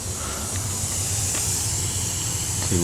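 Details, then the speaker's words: Nitrous Outlet X-Series kit, bottle just cracked open: steady high hiss over low background rumble as nitrous fills the main feed line, leaking at the adapter fitting. "I hear the nitrous going through the line uh I see a leak let's go check where the leak is at so it's right on the her adapter"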